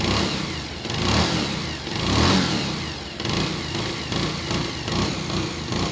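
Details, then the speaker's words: Bajaj Pulsar 150, engine seized two years ago and now rebuilt, cold start. Revs up twice and drops back cleanly with only the faint light whine typical of a Pulsar; normal revving, healthy engine. "अगर मेरे perspective से बताऊं तो मैं तो satisfied हूं इसकी आवाज से जो नॉर्मल पल्सर की साउंड होती है हल्की सी वाइन आती है उसमें वो एगजैक्टली सेम है"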